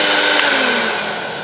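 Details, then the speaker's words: Miyako blender, previously totally dead, after a jumper repair without replacing the motor: steady high-pitched motor whir with even tone, easing slightly; motor sounds healthy. "Oke sudah bisa nyala udah bisa muter Sip lah kowe ini Saya nyalakan lagi asli ya oke mantap"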